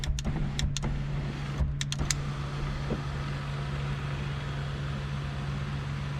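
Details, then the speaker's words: 2004 Dodge Neon SRT4 sunroof after motor assembly replacement: a few light clicks, then a smooth, steady motor hum as the roof opens and closes, with no clicking or banging; the old fault was likely a stripped reduction gear; normal operation. "opens right up and then it'll go closed no clicking no banging"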